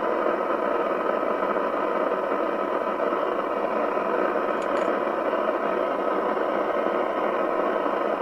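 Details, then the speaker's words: Spinneytonic CB199 UK CB27/81 mobile CB radio (fake Amstrad chassis) on the bench with signal generator: steady, even rushing hiss, no clean signal; poor receive audio, suspected IF out, exact cause unclear. "oh it doesn't sound very good does it let's go back to the detector just see whether i can bring that up a fraction"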